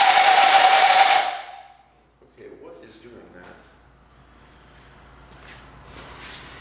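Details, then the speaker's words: 1969 John Deere Patio 112 restoration, starter engaged: short harsh whirring spin with steady high whine that dies away; abnormal starter noise, owner suspects dirty brushes, bad ground or loose terminal, unconfirmed. "is it making that noise? I wonder if the brushes are dirty."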